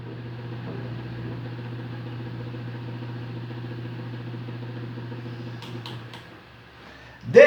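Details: Fan on 220 V mains making excessive noise at speeds 1 and 2 but running normally at speed 3; a loud, steady low buzzing hum from a defective run capacitor, fixed by replacing the capacitor.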